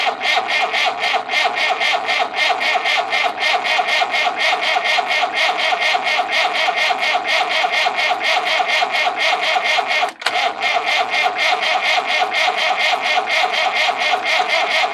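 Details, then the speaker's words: Massey Ferguson 165 diesel tractor in the field after fuel pump failure dumped diesel into crankcase; cranking about four beats a second with two injection lines loosened to bleed, diesel coming through: air in fuel injection lines. "we're going to bleed the injection lines i have those two open so i'm gonna crank it over and see if we get diesel"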